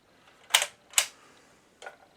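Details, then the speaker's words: BSR record changer in a Marconi 4045 record player, after service with centre spindle refitted: two crisp clicks about half a second apart then a fainter one as the mechanism cycles; spindle clicking properly into place. "cycle the mechanism at least once and you'll hear a click. There we go. And that's this clicking into place."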